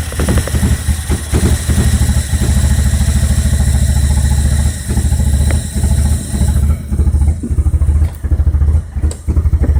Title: B21ft Microsquirt rough idle